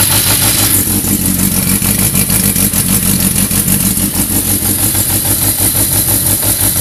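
Uneven, lumpy idle with irregular beats about three a second and a stumbling exhaust note; the engine is idling rough, cause unclear.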